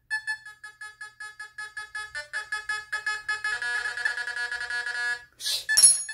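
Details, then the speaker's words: Fisher F44 metal detector air test on a stainless steel spoon at long distance: short high beeps about once a second speeding to a near-continuous tone as it nears; normal response. "this thing is doing great spoon stainless steel look at this all the way back here"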